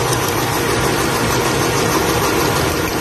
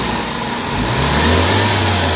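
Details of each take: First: Toyota Vitz petrol engine vibrating and jerking when put into drive or reverse: rough, uneven idle with irregular stumble; coil check found no spark at cylinder 3, oil on the spark plug, so the number 3 ignition coil is faulty. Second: Toyota Vitz petrol engine after parts replacement, cleaning and wiring repair: idles smoothly, then revs cleanly and holds steady with no shudder or stumble; vibration and jerking fixed.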